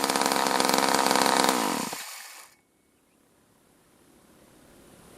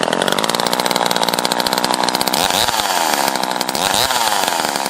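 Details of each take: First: Craftsman Poulan top-handle chainsaw after rebuild: loud steady high-revving two-stroke buzz stops abruptly and falls silent, the engine dying from intermittent spark. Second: Craftsman Poulan top-handle chainsaw after rebuild and fixing the spark plug wire prong that caused intermittent spark: crisp, steady high-pitched two-stroke buzz with fast even firing and small throttle swells; running cleanly on restart.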